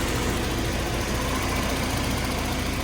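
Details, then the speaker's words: 1991 BMW E30 318is, M42 engine, about 200,000 miles, idling after timing chain guides were replaced with later M44-style guides to cure ticking: steady, even low hum, no ticking or rattle from the chain area; runs great, cooling fine, no leaks. "And it runs great."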